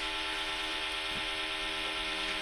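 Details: Jeep Grand Wagoneer with a 6.4L Hemi swap and Holley Terminator X, first fire-up: the fuel pump gives a steady, high, harsh buzzing whine while priming, louder than it should; cause unconfirmed, though it sounded better once the tank was lifted.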